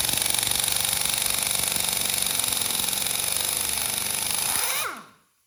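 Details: Urceri Compact Impact wrench after teardown and reassembly, reverse on setting 3 (highest), loosening a tire lug nut: rapid steady hammering for seconds, stopping abruptly once the nut finally frees; wrench lacks power.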